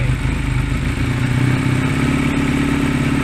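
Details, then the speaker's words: Honda Rebel 125 single-cylinder during carburetor adjustment, air screw about 2.5 turns out: idle climbs and hangs high, racing away, meaning too much air or fuel; air then turned down a quarter turn. "it getting higher. Where it's racing away like that means it's either too much air or too much fuel."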